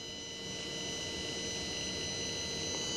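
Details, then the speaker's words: Mercedes C280 electronic throttle body on a bench test after overnight cycling: steady thin hum with fixed high tones as the motor closes the plate slightly and holds idle position; normal, no jamming. "the throttle plate on an SR units is actually closing slightly to get this unit ready for idle humming sound is there"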